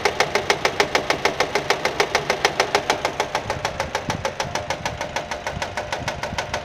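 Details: Nissan engine at quiet idle: sharp, even ticking about three times a second; engine itself fault-free, noise is the fraying alternator belt flapping and striking the metal body as it turns.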